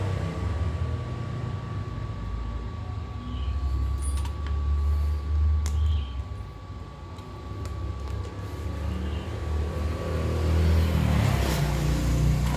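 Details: Freshly assembled 1 HP air compressor pump, not yet mounted on the tank, after valve checks: steady low piston thumping about four strokes a second, no air-leak hiss; a little noisy because unmounted, valves good, pump runs normally.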